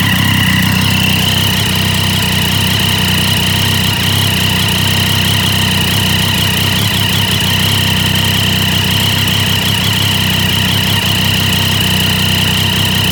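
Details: Triumph Daytona 675 at steady idle with a fast, sharp ticking and a hissy edge over the engine note; possibly an exhaust leak.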